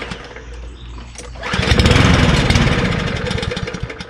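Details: MTD Cub Cadet Powermore push lawnmower engine, choked, pull start catches and runs roughly with uneven chuff, slowing toward a stall; carburetor never cleaned, fuel never drained for winter, suspected dirty carburetor from 10% ethanol fuel.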